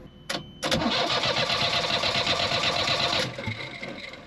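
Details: Yanmar diesel on a sailboat with air in the fuel after gunk clogged the pickup and fuel pump and the primer bulb popped: cranked evenly for about three seconds, around 160 rpm, while priming, with no firing.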